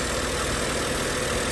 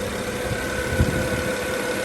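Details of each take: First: 2010 BMW 535i turbo engine just after starter motor replacement and battery reconnection, warming up after first start: steady idle with a dense gravelly rattle over the low rumble; owner unsure of cause, possibly vibration rattle before settling. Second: 2010 BMW 535i turbo engine after starter motor replacement, warming idle: rattle has settled into steady, even idle hum with no knocks or ticks; owner thinks earlier rattle was a pre-warm mode; sounds okay.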